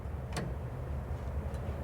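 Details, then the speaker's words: 1949 Chevrolet truck after sitting 20 years, key on during revival: crisp flasher clicks a bit over a second apart above a low rumble; right and left turn signals working normally. "No turn signal action. Oh, there it goes. Right. Signal."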